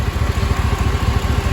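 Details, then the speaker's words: LQ9 6.0 V8 after valve job, lifter replacement and head gasket, first startup at idle: steady, deep, even exhaust pulse with no lifter tick, only an exhaust manifold leak from broken and missing bolts; runs smoother than before. "I don't hear that lifter anymore. It's just an exhaust leak. So far so good. It's running pretty smooth. Feels better than it was before. No more tick."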